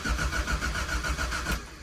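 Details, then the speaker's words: Hillman Imp engine, sump full of water after suspected head gasket leak, cranked with HT lead pulled so it won't fire: steady cranking with evenly spaced compression pulses, no weak beat, so all four cylinders hold compression. "it sounds like all 4 pots have got compression, so I don't think it's a wheel string issue."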